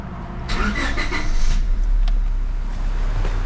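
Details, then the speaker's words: 2000 Honda Civic after head gasket replacement, exhaust, timing cover and belts refitted: engine catches after a short crank and settles into a steady, even low idle with no misfire or knocking; running healthy after repair. "Running like a freaking champ. So, I put the hood back on it cuz we're going to go run do it take a test drive real quick."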